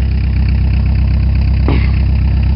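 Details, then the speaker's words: 1987 Ford Escort Mazda diesel after cold start at about 30°F with glow plug cycling: deep steady clatter at even idle, all cylinders firing regularly, one brief click midway; cold engine runs fine. "It runs good. You just gotta keep your foot on the floor till all cylinders start firing."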